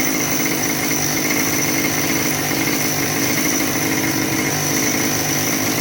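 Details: Husqvarna 572XP AutoTune chainsaw holding a fast, buzzy high idle that never settles. Owner suspects a carburetor or solenoid fault, or a bottom-end air leak such as the PTO-side bearing; compression is good.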